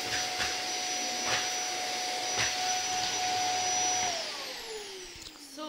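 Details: Zanussi Compact Power cylinder vacuum cleaner in a review, cleaning up old Weetabix from the floor: a steady high-pitched whine with a clean airflow rush that winds smoothly down at the end, reasonably quiet. Normal running.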